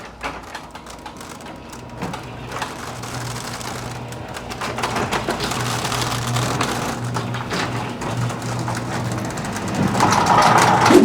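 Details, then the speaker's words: Six-month-old garage door opening: fast, uneven clatter, about three to four rattles a second as it travels; rollers rattling in the steel track, before fitting roller sleeves/new nylon rollers. "now that we found that most of the rattlings are coming from the rollers"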